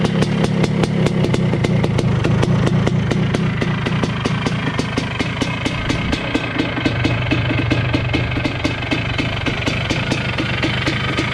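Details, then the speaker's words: 1980 Honda CR250 Elsinore two-stroke on first start in a decade after restoration, carburetor not yet adjusted: crisp, steady popping at about four beats a second, even and strong with no misses; healthy running. "sounds good honestly sounds nice and healthy sounds good"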